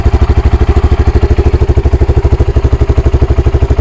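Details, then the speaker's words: Honda Grom single-cylinder, after idle adjustment: crisp, even thump holding steady near 1500 rpm (about 1600 normal) without hunting or surging; normal idle. "1.5. It sounds good. Sounds alright to me."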